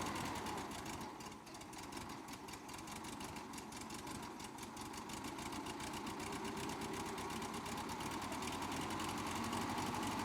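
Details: Cheap, hard-run Bobcat 610 skid steer with Wisconsin four-cylinder gas engine, said to crank every time, run good with no leaks: quiet, regular idle pulse at constant speed, no knocking, ticking or hunting; normal idle.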